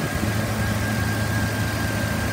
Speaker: motor sounds good it's been running for about 45 minutes has not overheated it idle smooth revs up nice the automatic transmission engages and both front and rear ac blow cold